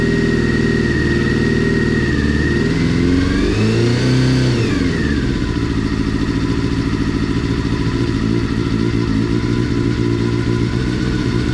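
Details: Honda CBR400RR NC29 barn-find bike, first start during restoration for an Isle of Man road race; catches, revs sharply around four seconds, settles to steady even idle, WD-40 burning off. Normal running.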